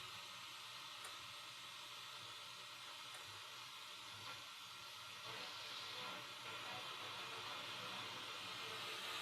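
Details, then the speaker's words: Bang & Olufsen BeoCenter 5000 radio under restoration, powered via dim bulb tester, mini-whip antenna on AM input: steady loud hiss and crackle with only a faint station underneath; very weak AM reception. "I've got the mini-whip connected to the AM antenna input. We've got the same noise. Let's see if we can tune something."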